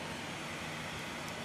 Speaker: what I have noticed about this is the graphics card has gotten very very noisy and if you can hear that but it has decided it's gonna get very very noisy so a little bit disappointed on that high noise output isn't exactly what anybody wants on their graphics card